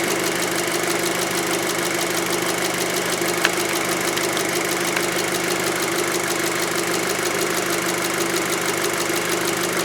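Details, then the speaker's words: 2006 VW Passat 2.0T with P0190 and lack of power, traced to a broken fuel rail pressure sensor signal wire: smooth idle with light, fast high-pressure fuel pump ticking while the scan tool reads rail pressure. Normal idle. "you would a real precious tree to actually hear the high-pressure pump I don't think I heard that before about 700 psi changing 700 psi"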